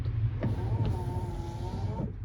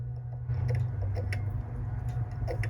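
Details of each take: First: 1986 Ford F350 6.9 IDI after repair, engine off: wiper motor runs on high speed with an electric hum and slightly labouring tone, attributed to the truck not running. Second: 1986 Ford F350 6.9 IDI wiper switch chattering: light, uneven clicking about three to four a second over a low hum, wipers not running; clicking at both switch and Motorcraft motor, owner suspects a bad connection behind the switch.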